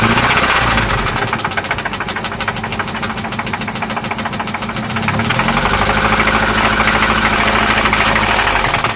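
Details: 1995 Toyota Celica ST idling after an oil change and spark plug replacement: a loud, steady knock at roughly three per second over the idle; a clear internal knock that seems to come from one spot, source not yet pinned down.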